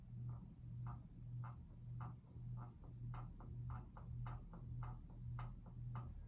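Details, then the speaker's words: 52-inch Evergo 5E-5LW ceiling fan on medium speed, with a 60-cycle motor hum: pulsing hum with a light scraping rub about twice a second as the wobbling fan's canopy rubs the ceiling. "And it does have a wobble. You can kind of hear the canopy rubbing up against the ceiling joist"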